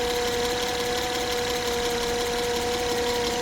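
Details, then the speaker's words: 2010 Acura TL with battery light and check charging system message on, heard under the hood at idle: a steady high whine over the even idle. Failing alternator: voltage drops to 12 with 100% duty cycle, so it is not charging. "So alternator is making a whining sound, so let's hear that, and we'll look at the scanner as well. So let's go under the hood. Okay, as you can hear, alternator is making whining sound."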